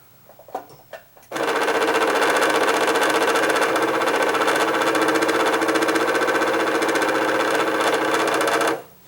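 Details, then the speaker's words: Singer Quantum XL1000 sewing machine on bobbin setting, motor running with loud rough buzzing grind, not spinning bobbin; worn main motor bearing. "the noise that the motor is making and it's not it's not spinning the bobbin now so there's a motor probably a belt and a gear but i'm guessing that that's motor bearing"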